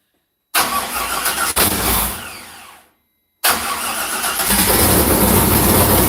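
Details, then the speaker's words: Freshly rebuilt LS2 V8 in 1985 Chevrolet Camaro at first startup, warming toward closed loop: fires, dips, then holds a strong steady rev with no knocks or misses after slightly rough idle. "a little rough check done yeah okay we'll have a little rev check there"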